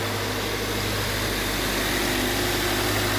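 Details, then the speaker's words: Subaru Outback XT after the oil cooler gasket was replaced and torqued to 28.5 ft-lb, with a new filter and oil: a steady, even idle hum with no ticks, knocks or whine, and no oil leaking now. "Running now. Now before, as soon as I crank it up, I would start seeing oil seep into this basin here. But as you see, it's dry. No leaks right now."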